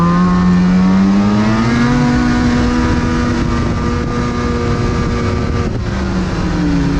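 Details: Freeride snowmobile breaking down while riding off-trail: a loud, buzzing two-stroke holds a flat, strained high pitch that never climbs and briefly sags, so it won't pull to full revs; the cause is unknown.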